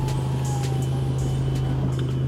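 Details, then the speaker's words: Car exhaust at idle, window lowered to hear: loud deep raspy drone with fast steady puffing pulse, racing-car-like sound not normally heard in cabin; exhaust leak from silencer. "இப்போ நான் race பண்ணுறேன். இந்த மாதிரி அப்நார்மலாக noise வரும்."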